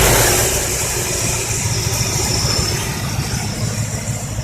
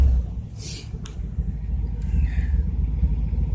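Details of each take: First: Chevrolet 305 High Output V8 with a heavy cam (owner thinks a 350 cam), choke off, warm idle after a roughly 2,000 rpm blip: deep, steady, even lope with no knocks or misses; well-tuned normal idle. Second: Cold start: deep, loud rumbling exhaust with an uneven throb at idle; stock mufflers burned out and no catalytic converter, just a clamped-in pipe in its place.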